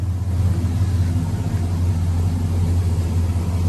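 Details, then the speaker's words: 1979 Toyota with LS V8 swap on Holley Terminator X Max: low, even V8 idle rumble, no knocks, misses or ticking; fires right up, quiet, header possibly leaking slightly; alternator on its way out. "So, runs extremely well."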